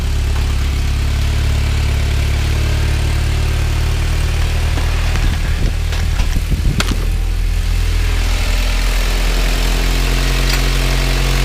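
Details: Turbo Honda Prelude first start after winter storage, with fresh spark plugs: steady, low, even idle drone without surging or missing, brief handling clatter; normal idle.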